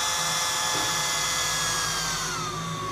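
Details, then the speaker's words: Portable hot-air soldering blower, speed knob turned up: high whirring motor whine over steady airy hiss, pitch shifting with the knob; small fan runs normally, confirming a DC-DC converter supplying 12 V to the motor. "Seperti mudah-mudahan kedengaran ya bunyi dinamonya. Ini saya putar lebih kencang, semakin kencang."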